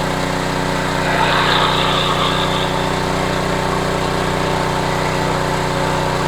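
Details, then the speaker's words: Homelite HGCA3000 3500 W generator after new carburetor and head gasket, under about 1,500 W heater load, voltage steady at 124 V, owner suspects it has an AVR; steady, even drone at constant pitch with no surging or hunting; healthy running under load. "okay so right now it's under 1500 watts low heat full heat no problem"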